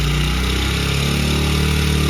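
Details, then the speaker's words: Honda CRF100F kids' dirt bike during restoration, idle turned down and screw tightened: steady single-cylinder putter easing slightly lower, running even and clean; normal idle. "all right so we'll crank it back up and we'll idle her down"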